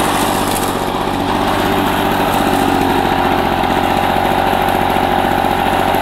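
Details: 1984 Lawn Boy two-cycle push mower, found roadside, after a rebuild of its clogged carburetor and clogged exhaust: steady, even two-stroke buzz with a fast, regular firing beat, no misses or surging; running cleanly.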